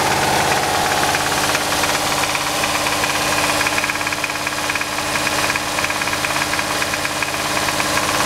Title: VR6 ROD KNOCK